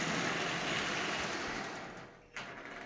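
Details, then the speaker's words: Marx Commodore Vanderbilt toy locomotive, circa 1946, original, with derusted push rods, running on AC. Smooth, even motor whir with light track clatter and no grinding or stutter; runs like new, normal running. "It runs absolutely splendidly. In fact, it runs like new."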